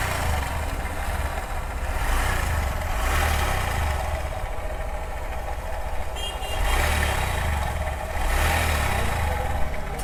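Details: Honda SP Shine 125 cc motorcycle running with a rough, gravelly rumble that swells with each throttle blip, noise from the head or clutch chamber.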